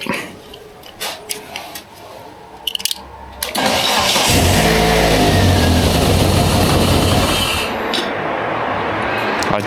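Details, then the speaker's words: Barn-find Toyota AE92 Corolla Levin GTZ: starter cranks briefly, engine catches and runs rough and uneven at fast idle, sagging, then dies almost instantly; suspected fuel starvation, possibly clogged injector, unconfirmed. "So, it was sounding a lot healthier. It would start, but it would die pretty much instantly."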